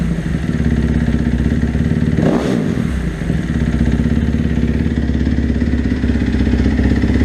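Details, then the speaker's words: 2012 Kawasaki KX250F four-stroke, FMF slip-on, about 50 hours on the top end, cold start after sitting several weeks: crisp, even single-cylinder thump with one blip, then a steady idle; normal cold idle. "so that's this basically what it sounds like John I didn't really get on the piper nothing needs a warm-up but it runs good"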